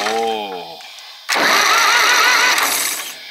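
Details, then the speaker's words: Zetor 4911 tractor diesel, abandoned since 1986, cranked by screwdriver across the starter trigger wire for the first time since then: steady even starter whirr for about a second, no firing yet; normal diesel cranking. "I think she sounds just like the four-cylinder over exactly the same winding over like that it's just fantastic"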